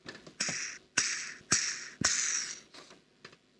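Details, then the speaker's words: National/Panasonic NV-850 HiFi stereo VCR head drum turned by hand gives short gritty rasping strokes; drum bearing felt and heard rough, worn and wrecked. "that one there is definitely wrecked because when I turn that I can feel it you can hear it too"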